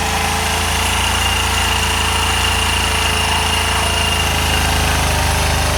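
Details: 1985 Honda Elite 150 scooter just after belt replacement and variator check, small single at a steady, fast, even putter with no surging or stalling: normal idle.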